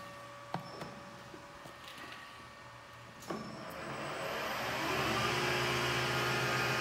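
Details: PM-1440GT lathe with a new Marathon E470 3 hp 230 V motor on a Hitachi WJ200-022SF VFD, replacing the cogging stock motor, in medium gear: a few clicks, then a smooth ramp to an even hum and whine, no knock or rattle; normal motor run.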